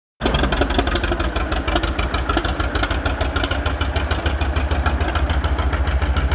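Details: Old F-20 tractor with homemade loader built around 1942, driving: thumping about three beats a second with skipped and weak, uneven pulses; engine still misfiring.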